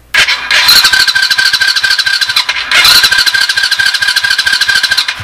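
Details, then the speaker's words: $20 junkyard Chinese 90cc automatic ATV engine, starter powered directly from a 12 V jump pack, no spark yet: two bursts of brisk, even cranking with steady compression pulses and no catching; starter and compression sound healthy. "Wow she she sounds good and healthy that's for sure now for $20 yeah for $20 this this motor sounds good"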